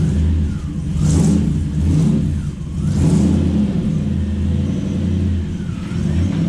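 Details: Toyota 1UZ V8 in a Ford Falcon with newly finished glass-pack exhaust: deep even rumble swelling on each throttle blip and settling smoothly, no knocks; normal V8 exhaust.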